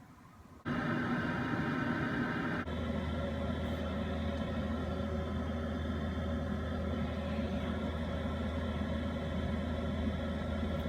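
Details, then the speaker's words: Webasto diesel air heater in a camper van, thermostat dial set near 68°F, battery at 12.4 V: lights off with a sudden rise into a steady fan roar and low hum that holds even, putting out plenty of heat. Running normally. "Nice and hot. I can feel the heat, the nice heat filling up the area. Pretty cool."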